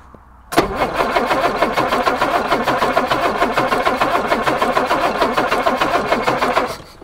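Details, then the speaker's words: 1962 Jaguar Mk10, sitting 15 years, fuel pumps on: steady starter cranking at about five strokes a second for six seconds without a single catch; no start, fuel pouring from carburettor overflows, flooded carburettors. "Nope, that's no good. As I expected, there's just fuel just came pouring out of every orifice available on these carbs."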